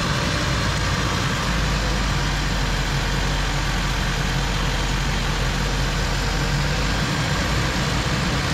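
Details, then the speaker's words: Datsun mini truck on its first drive after the build: steady low rumble with an uneven, lumpy beat; still running rough, and owner suspects the crankcase vent added through the block-off plate; cause not confirmed. "but it's still still is not running right"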